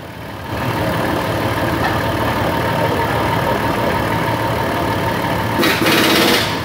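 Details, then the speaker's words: Waste-spark ignition engine at idle with one spark plug wire disconnected to make a big air gap: uneven loping beat, three or four stumbles a second; misfire from an open plug wire. "And what I'm going to do is I'm going to reach down and disconnect this make a big air gap. Okay, you can hear that on the camera and I'll let you see the waveform over here."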